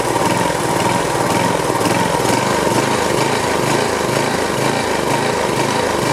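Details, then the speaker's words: DR brush trimmer/mower model 60B, circa 1997: small petrol engine runs steady with constant whirring spin that never drops away; blade belt stays engaged after cable released, stops only when forced against ground. "all right well still doing the same thing when I engage the belt it tightens up and you can hear it spinning you can see it but when I let loose to the cable it still spins"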